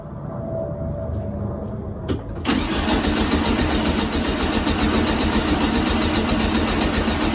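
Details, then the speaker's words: 1972 VW Beetle 1200 after fresh oil change, distributor cap off: steady starter churn about three to four beats a second, no firing; cranking only to build oil pressure until oil light goes out. "i'm actually just going to crank the engine over until the oil light goes out just to make sure the oil circulates all the way around the engine and we've got good oil pressure before we actually try and start"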